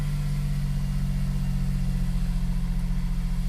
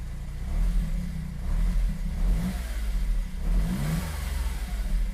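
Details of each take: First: Smart Fortwo W450 0.7, first start after sitting a very long time, mic clipping: low idle with an uneven pulsing beat about four times a second, lumpy and unsettled; rough running, cause unconfirmed. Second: Smart Fortwo W450 0.7 after sitting unused a long time, first run: the small engine picks up and drops back cleanly with each throttle blip with no knocks, though it feels somewhat lumpy; running quite well overall.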